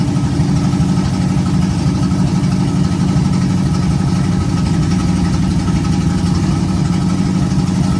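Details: 1951 GMC cab-over truck first start, after temporary vacuum leak fix and timing adjustment: steady, even low rumble with no misses, stumbles or knocks; the engine idles smooth and healthy.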